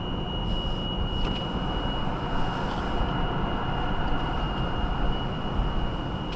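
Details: 2018 Subaru Outback 2.5i Premium, 28K miles, first cold start of day at about 10°F: thin steady high-pitched whining squeal, RPM-dependent, only at cold idle and slow acceleration or steady speed, stops off throttle; source unknown.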